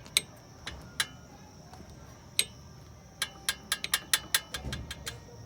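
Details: 2014 Fiat Uno Vivace brake pad retaining spring with play: sharp, light metallic ticks in quick irregular bursts as the pad is shaken, the rattle heard over bumps; fixed by tensioning the spring; brake pad clip rattle.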